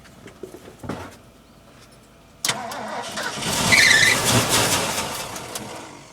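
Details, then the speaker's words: Ford F350 cherry picker truck with carburetor, not run for about a year, hard start: starter churns steadily for several seconds but never fires; owner says fuel is not reaching the carburetor; long crank no start. "God damn it. What's it going to take? I get fuel to the carburetor. That's what it's going to take."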